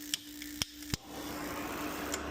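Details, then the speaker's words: DIY fire pit built from old gas furnace parts, no gas connected: faint sparker ticks, then a single soft click and hiss as the gas valve opens once heat is put to the flame sensor. Normal gas valve click. "So now it's going to let gas through there, light the fire pit, good to go."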